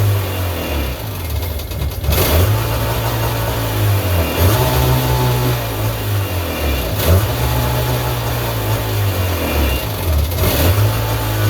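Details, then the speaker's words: 1999 Sea-Doo GTI with rebuilt single carb, new fuel and oil lines, 148-150 psi compression, first start: idle hunting up and down every two to three seconds; owner suspects the fuel selector switch, idle needs adjusting. "oh okay she's running we can need we need to adjust that idle"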